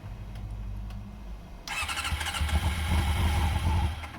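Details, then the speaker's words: Honda CBR motorcycle, after many earlier failed attempts: starter churns unevenly with ragged catches that almost take; very close to firing but not yet running. "Let's see if the CBR will start. For the millionth time."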